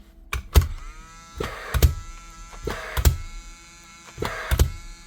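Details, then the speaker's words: Paslode IM350 Plus gas nailer, in for service with no information given: four dull clicks with thumps, about one a second, with a short ring after each; the ignition click is audible but not very strong; weak ignition click. "You can hear it click, but it's not very strong."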